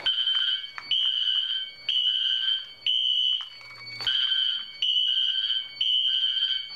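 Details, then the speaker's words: Wheelock Exceder horn set to sync mute in a fire alarm system test, after pulling a BG-12L station: high piercing horn blasts about once a second continue after silencing because of the sync mute delay. "now since i have the wheelock exceeder on sync mute it takes a little bit for it to silence the horn"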